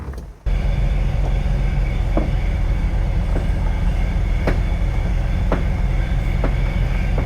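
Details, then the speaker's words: 1971 VW Bus on a test drive: sharp light ticks about once a second over the driving rumble; something loose underneath, suspected hitting the splash pan, cause not confirmed, not a safety issue. "I still got to figure out what this noise was. It just came back again. Something has to be hitting the uh splash ram. It's not a safety issue, but I shut that down."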